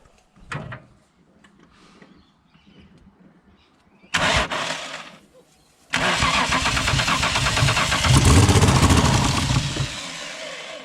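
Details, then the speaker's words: Holden VL Commodore: a few short bursts, then steady cranking that never catches, after injector cleaner in the tank and deodorant sprayed into the intake. Owner suspects a fuel problem and thinks it is close to starting; crank no start. "okay so it's sort of fuel problem a fuel problem maybe the injector cleaner helped try turn it over again"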